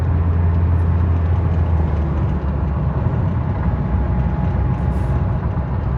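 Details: 2010 Toyota Corolla S after spark plug change that fixed multi-cylinder misfires: steady, even low idle rumble with no stumble or skipped beats; engine sounds smooth and healthy.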